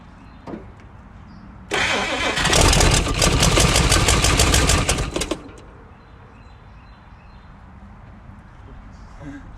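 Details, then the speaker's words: 1956 Chrysler Windsor, not run in at least 5 years, rebuilt starter just reinstalled, factory wiring falling apart; cranks, catches and roars about three seconds then dies; suspected no fuel reaching it, fuel tank hanging off at the back. "We took a quick break to kind of think about it, because it's starting to turn over, and we just, obviously we don't think it's getting any fuel."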